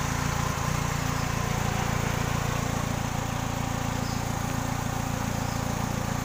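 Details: 2000 Kia Sephia: steady idle with a regular stumble about three or four times a second, one cylinder dropping out; misfire at idle, spark plug suspected, not confirmed.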